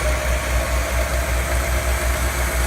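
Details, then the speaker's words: Ford Thunderbird V8 on a frame-off chassis, first test fire with the coil hot-wired and fuel from an overhead tank; even, steady low thump with no misses or knocks. Normal clean idle. "That's what you want to hear. That sounds really nice."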